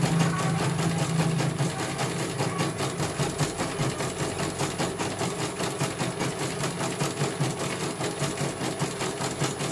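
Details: CNY computer embroidery machine from Banjarnegara, Central Java, test-stitching after service (dynamo motor earlier wouldn't spin at all): quick, even patter about two and a half beats per second over smooth motor hum; one colour finished, result very good, normal stitching.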